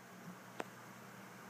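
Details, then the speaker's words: New Dynatron ball-bearing CPU cooler fan, replacing a cheap whining one, under load while rendering a 720p video: only a soft, even airy hiss with no whine, buzz or rattle; audible but not loud, fan healthy. "how loud does this fan get when I exporting video the answer is not very loud at all I can hear it but it's not that loud"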